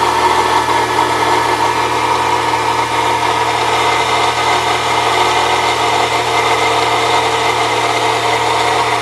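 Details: 1998 Saturn SL2 DOHC at idle with a continuous rough, gritty, non-rhythmic grind from the belt drive. New idler and tensioner pulleys did not cure it; it seems to go away without the belt and is not worse with A/C on; source unknown: accessory belt grinding.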